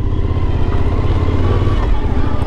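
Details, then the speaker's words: Overland vehicle's rear wheel after a loose part was tightened with an Allen key: steady, even engine rumble with no rubbing or knocking from the back end, described as sounding like new; normal rear wheel running. "सुनो, बहुत बेहतर. नया जैसा लगता है, नया जैसा लगता है, जाने के लिए तैयार है, ऐसा कुछ भी नहीं जिसे एलन कुंजी ठीक नहीं कर सकती, अरे?"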